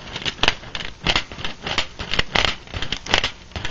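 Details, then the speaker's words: Scratchy rasping as a blown speaker cone from a Lab Series L7 amp is pushed in and out by hand: rubbing, burnt voice coil despite reasonable DC resistance; speakers replaced with WGS Veteran 10s. "yeah see that's a voice coil that is just totally toasty under there"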